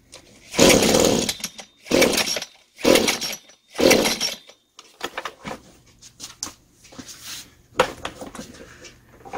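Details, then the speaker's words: Butane gas-powered brush cutter fires in four short roaring bursts about a second apart, then sputters and dies; starts but won't keep running, carburetor suspected faulty, before carburetor repair. "Nó khởi động, nhưng nó không hoạt động? Tôi nghĩ bộ chế hòa khí bị hỏng, tôi sẽ bắt đầu sửa chữa bộ chế hòa khí."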